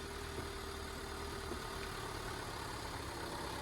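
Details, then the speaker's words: 2017 crash-damaged, unrecorded Vauxhall Corsa with a bent front and bonnet, first start check before repair: a quiet, even hum with no knocks, misses or squeals, and the engine sounds sweet. Normal idle. "Are the keys in it? Yeah. I don't know. Yeah. She's a rut. That sounds sweet as well."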